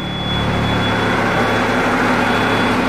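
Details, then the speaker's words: M931A2 5-ton truck, 8.3 L 6CTA diesel, with all fuel lines and filters replaced, just started: steady, even low rumble with constant pitch, no knocks or misses; healthy idle after fuel system service. "let me show you this master power then that's how these trucks should start okay"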